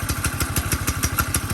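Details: Grasshopper go-kart with 4 hp single-cylinder engine on a jack stand, quick idle with dry metallic clatter each beat, likely from the clutch, while motor oil is applied through a peek window to clutch and shaft; quieter after oiling.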